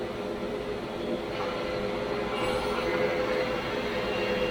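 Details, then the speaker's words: 1985 Grizzly G1021 15-inch planer, 2HP motor, with a newly installed V-helical cutterhead, running a jointed rough board: a steady soft hum and whir with no rise in pitch or strain, so the cut is normal and quiet. "Oh my my goodness this this the noise didn't increase at all"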